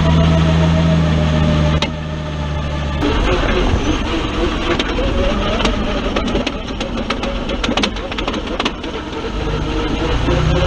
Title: 4L60E/Transfer case noise